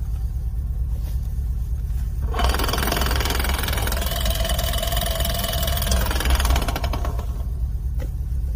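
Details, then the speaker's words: Lada Niva transfer case rebuilt with new gears and bearings: heavy low rumble under load with rough knocking about three per second and strong vibration, caused by a factory-defective large drive-shaft gear with one tooth not fully cut. "причина оказалась в бракованный шестерни большой ведущего вала выше передач стук происходило из-за того что один зуб вот этот вот этот зуб видите не дорезан"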